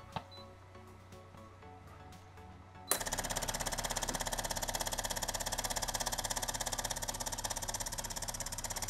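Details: Used DeLonghi PrimaDonna Elite Exclusive coffee machine, hot: pump buzzes hard, fast, even pulse about three a second, straining; water not getting through, scale-clogged heater circuit blocks flow.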